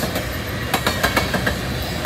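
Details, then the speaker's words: Southbound CN manifest freight train led by an ES44DC and a C44-9W: passing cars, including boxcars, give irregular metallic wheel clatters and rattles over the rolling rumble; cause unknown. "The wheels are rattling too. Hear that rattling noise."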